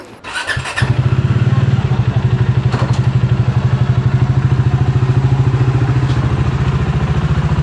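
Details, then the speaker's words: Motorcycle picked up after repair, having previously been hard to start: timing chain and cylinder head gasket were replaced. Fires after a short crank and settles to a steady, even idle; the earlier noise is gone. Starter still pending. "T's ngayon okay na siya. Ah ano 'yung ano 'yung parang maingay nawala."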